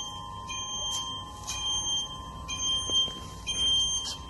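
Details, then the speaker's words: IOPAK MECH carton erector in automatic production: high electronic beeps about once a second over quiet hum; alarm from the empty-carton detection sensor as the carton magazine runs out, also shown on the touch screen. "When you hear that noise, it's alarm. In these cases, is the magazines running out of carton, the empty carton detection sensor. That one line up showing is you running out of boxes."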